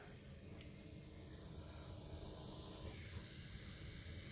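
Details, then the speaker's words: Small replacement gear motor for a camera arm, replacing a jerky stepper, run at 5 volts on the bench: steady buzzing whir with a rough, rattly low growl; slower and a little noisy, and quieter when held off the workbench. "that is much slower it's a little noisier they're both kind of noisy"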